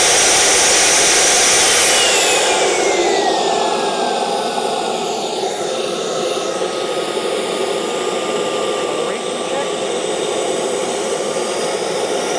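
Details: CARF Rebel Hot RC jet's newly installed turbine on test run after the throttle check. A smooth roar with a high whistle slides steadily down toward idle, with no rough or surging notes. Normal, healthy turbine spool-down.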